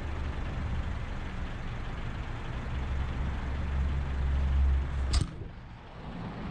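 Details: Honda Civic turbo build (cheap eBay turbo), first start after a year of building, with the oil line routed into a catch cup. Engine catches, settles into a steady low rumble with no knocks or misses, then is shut off.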